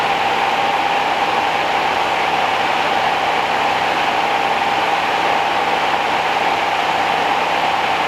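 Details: 1969 Rover P6 Series 1 3500 V8 automatic, first start after 16 years in a garage: steady, even idle with a smooth hum and no top-end tapping or rattle. Quiet and tight, unlike a previous car that rattled like a diesel.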